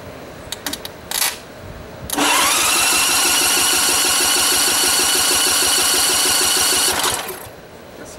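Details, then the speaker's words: Montgomery Ward GX7, first start attempt in 37 years: electric starter cranks the free-turning engine in neutral at an even beat for about five seconds, with the frozen ignition switch bypassed and the throttle worked by hand. A spark tester shows no spark and it never fires. The owner suspects old points ignition. "okay we got the spark tester hooking and u-haul or let me know if you see any spark in there okay I didn't see any well it's old enough this might have points in it either"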